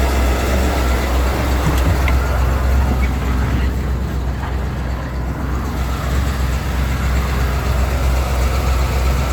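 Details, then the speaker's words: 1991 Ford E350 with 5.8L V8 after a no-start fix, first start of the day at about minus 20. Deep, steady idle with no stumble or knock under the exhaust rumble: normal cold idle. "And this is gonna be the first time I try to start this thing today."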